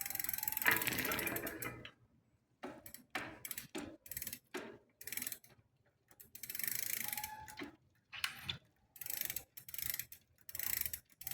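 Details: Smith First bicycle: bursts of ticking and scraping with each pedalling spell, first thought to be bottom bracket bearing, then loose rear axle; found faulty crank arm letting chain rub derailleur, fixed by new Shimano crank arm.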